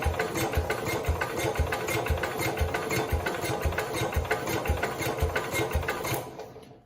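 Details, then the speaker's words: 1969 Cub Cadet 105 tractor after engine reassembly and ignition fix, choked, power to coil: slow even cranking thumps about two a second, briefly tries to fire but doesn't catch; plug dry, owner suspects not enough gas. "not sure if you guys heard it but I heard it so it did try to Fire Let's unchoke it let's check and see if we are getting Spark"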